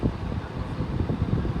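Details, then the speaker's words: Hampton Bay 11-inch table fan running: low hollow resonating droning rush of air, at times sounding restricted, with no clear tone or knock; cause not pinned down, fan still moves air. "it's got that low resonating uh sound but when you listen to it it kind of just sounds like the air is trying to come out of"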